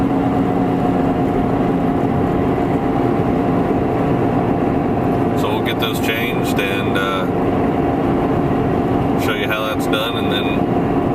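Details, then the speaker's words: 2007 Toyota Prius at about 75 mph, heard from inside the cabin: steady droning hum with a faint tone over road noise, which quiets as speed changes; worn wheel bearings, later replaced. "I've got a lot of wheel bearing noise. I wanted you guys to hear what that sounded [Music] like."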